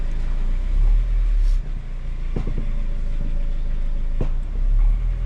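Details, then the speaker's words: Renault Megane 2 1.5 dCi, engine idling while turning the steering: sharp single knocks/cracks; owner suspects shock absorber top mounts, but replacing them did not cure the clunk. "as tu entendu c'est merveilleux craquements ce sont les coupelles d'amortisseur"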